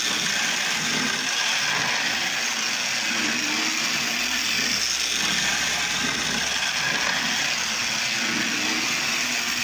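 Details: Lionel Tie Jector toy train, with its mechanism working but the wheels still dirty. The small motor gives an even, steady high whir with a light ratcheting and no stumbles, so it is running normally.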